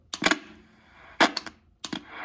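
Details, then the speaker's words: Cobra 142 GTL CB radio, recently repaired: sharp crackles and pops in bursts as the volume knob turns, with quiet hiss between; scratchy volume potentiometer needing cleaning. "Volume knob needs to be cleaned a little bit."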